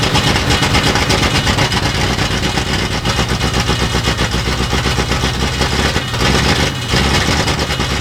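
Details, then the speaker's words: 1960s Ford Galaxie project at first run, owner working throttle: loud open-pipe V8 with dull, uneven, sluggish beat, sounding lazy; rough running suspected from retarded ignition timing, timing to be advanced. "That don't sound good. It just sounds really lazy. Let's give it a little timing."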